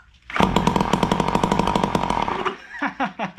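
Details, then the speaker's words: Found seized Ryobi SS30 two-stroke string trimmer, piston freed with compressed air, two-stroke oil in bore, muffler off: crackling rapid firing for about two seconds then dies, catches and runs without scraping or seizing; normal running. "do you think of course you will why wouldn't no reason not to you heard it that thing barked"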